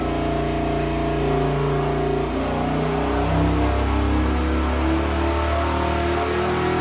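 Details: Junkyard 5.7L Hemi (bigger ring gap, Comp stage 4 HRT cam, upgraded springs) with S475 turbo, long-tube headers, intercooler, 80 lb injectors on dyno. Boost controller set to about 7 psi. Deep, even V8 roar holding steady under load, no knocks or misses; healthy boosted pull.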